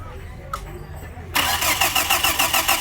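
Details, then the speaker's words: Hyundai brought in for lack of power; crankshaft sensor signal and injector pulse present but no spark; starter spins at a steady even crank, about six beats a second, never catching; crank no start, no spark. "The crankshaft is bringing signal, but there is no spark. No spark. So this is crank no spark."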